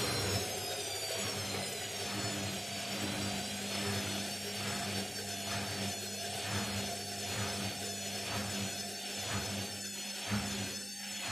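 A steady rumbling roar on spin with a heavy swish about once a second from the off-balance load; the drum bearings are worn.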